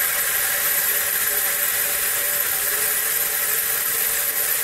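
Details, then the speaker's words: Stepper motors on a HobbyCNC PRO board, current set to 0.42 V at the test points for 3 A motors: a steady high hiss and characteristic whine at the switching frequency, no clicks or stutter, motors locked. Normal holding whine. "turn it up clockwise, and there we hear the characteristic motor whine from this motor. That's the switching frequency."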